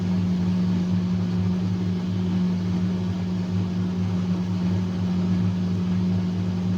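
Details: Fisher & Paykel direct-drive washer motor spinning with a steady low hum near 100–200 Hz and no grinding, on a washer with a metal grinding noise and no wash or spin.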